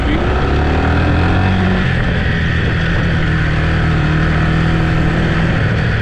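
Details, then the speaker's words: Yamaha TT-R 125 single on a test ride: pitch climbs and drops cleanly through the gears with no stumble or misfire; runs good, clutch good, brakes work, may need front pads. "it ain't really a bad bike runs good clutch is good brakes work might need front pads"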